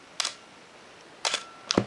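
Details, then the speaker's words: Canon AE-1 Program 35mm SLR (1981), lens removed, fired at 1 s: crisp double click, then a closing click about a second later; slow-speed shutter timing correctly. "I will just step down through at shutter speeds of a thousandth down to two seconds and listen to how they sound"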